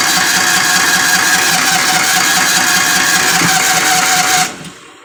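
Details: Kawasaki Mule 550, choked: loud even starter churn about four seconds without firing; it stalls when unchoked and won't restart, and the carburetor float needle shows gum, to be cleaned.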